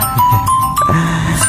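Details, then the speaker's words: Redmi 5A phone that lost all sound after being plugged into an active speaker, after replacing the power IC; ringtone now plays loud and clean with no crackle or dropout. "Mantap, teman-teman. Suaranya sudah kembali. Wow, sekarang sudah berfungsi, ya."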